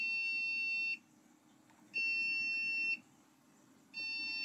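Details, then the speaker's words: Newly built AMD PC with no display gives a high shrill beep repeating every two seconds; owner read six beeps as a BIOS battery sign, but the beeping persisted after replacing the battery and swapping the power supply. "6 kere bip sesi geldiğinde genellikle bir BIOS'un pilin göstergesidir."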